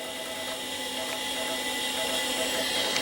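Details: Acer 900 286 vintage computer floppy drive giving a steady whir with quick regular head-stepping ticks about four times a second; the drive, whose health was doubted, is working.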